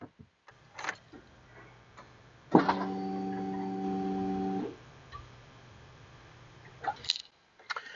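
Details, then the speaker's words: Vehicle fuel pump heard when the key is turned to on before starting: quiet, then a steady low electric hum for about two seconds that stops cleanly; pump priming normally. "so as we heard there the fuel pump is priming so that's a good sign that's the first step so we know for a fact that the fuel pump is working properly"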